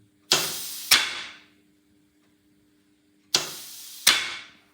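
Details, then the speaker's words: Unimog 421 (U52) rear differential lock, after freeing the seized lock and reassembly, actuated with workshop airline: two sharp metallic clicks a half-second apart, repeated, with faint air hiss; lock engages and spring disengages cleanly. "Brilliant. That's working. So, you can hear it click, engage, and then the spring is what disengage it disengages it."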